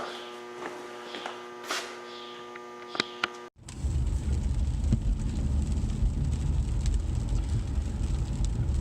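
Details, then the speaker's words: 2012 Cadillac CTS road test at speed after front wheel bearing replacement: steady low road rumble with no growl building with speed, unlike the earlier obnoxious speed-dependent growl; bearings now quiet and healthy. "Now that we're road testing here, our wheel bearings are nice and quiet now."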